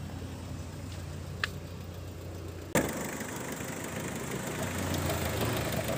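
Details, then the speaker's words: 2004 Mitsubishi Kuda Grandia 2.5 diesel at idle: even, low diesel clatter at a steady idle with no misses or knocks; engine described as smooth, normal diesel idle. "Nah untuk kondisi mesin masih suaranya mulus ya dieselnya masih jreng-jreng"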